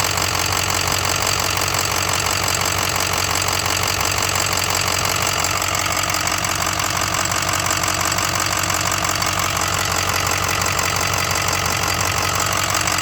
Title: 2006 6.0 Powerstroke lifter tick/rod knock?